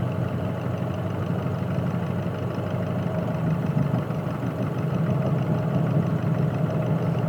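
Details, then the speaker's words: Nissan Pathfinder/Navara diesel at idle, sensor on cylinder 2 with that injector switched off via Consult: low, even rumble with no sharp knock, knock disappears so the injector, not the valve, is knocking. "после отключения управления форсункой слышите клапан пропал такие дела значит это всё-таки форсунка"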